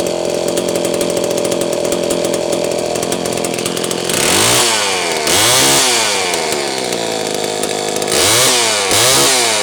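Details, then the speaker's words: Homelite Super 1130G chainsaw after spark plug wire trimmed about 1/4 inch and sleeved: rough crisp two-stroke buzz with repeated rev blips and clean pickup, running properly; condenser now doubted as the fault. "Okay, now I'm confident it's fixed, and I'm not confident anymore that old condenser is bad, even though it does test well out of range."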